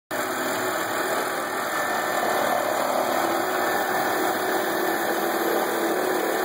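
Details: BMW E90 328i idling: steady, gritty whirring rumble from the belt drive; with the belt removed, the idler pulley spun loose and long while the tensioner pulley was tight, so the worn idler pulley bearing was replaced.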